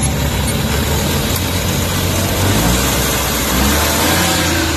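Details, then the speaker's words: Suzuki K6A petrol engine idling with the aircon on after the IACV idle-up fix: steady, even idle with no vibration or hunting; normal idle with AC on. "So ayan nakita niyo wala ng vibrate medyo tining na yung andar Okay na siya anan"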